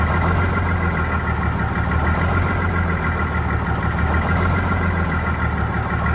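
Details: Vintage diesel bus on a very cold day, low idle with a slightly uneven, wavering beat about every two seconds; rough idle after re-priming, clear fuel-line section showing air, probably air in fuel.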